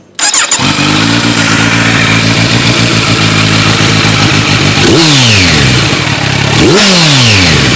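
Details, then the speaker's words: Kawasaki Z900 motorcycle just fitted with a Delkevic Mini 8" carbon fiber round slip-on exhaust; starts quickly, settles into steady even idle, two throttle blips rise and fall cleanly, healthy running. "Let's fire it up and see how it sounds. This is the last part. Just want to have you guys hear the exhaust."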